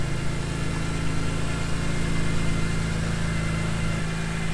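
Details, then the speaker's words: BMW E46 M3 at first startup after a VANOS rebuild and valve adjustment: smooth steady idle with a low even hum and a slight pitch drop near the end. The earlier upper chain tensioner ticking is gone. Normal idle. "you don't hear the ticket anymore huh yeah it's that's an upper chain tensioner"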